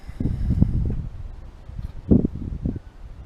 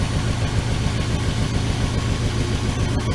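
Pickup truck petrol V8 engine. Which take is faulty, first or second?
first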